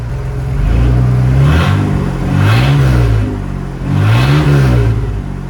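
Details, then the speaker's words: Ford F-150 after junkyard head swap and resealed intake gasket: three clean throttle blips rise and fall smoothly back to steady idle without hunting or racing; normal running. "she's riding really good I guess we could finish putting her together I think that's all I needed to see"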